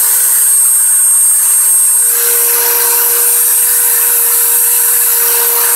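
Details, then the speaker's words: Five-day-old Dremel 3000 at maximum speed: piercing steady high whistle above the motor whir, absent when new and appearing after the first two days; shaft also spins jerkily with runout at low speed; cause undetermined. "еще больше тоже уже был слышен такой пронзительный свист которого изначально не было изначально это в первые два дня после покупки"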